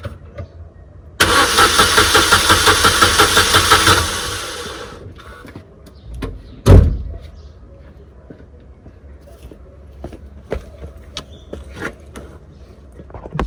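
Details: Corsa B 1.0 16-valve petrol that started then died: about three seconds of quick even cranking without firing; fuel pump first condemned, but the fuel pump relay was found to cause the no-start.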